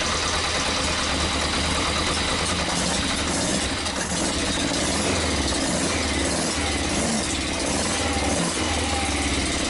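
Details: Yamaha XJ900S four-cylinder on first run in 10 years: busy idle with uneven little sputters and dips from the pipes. Rough sputtering idle.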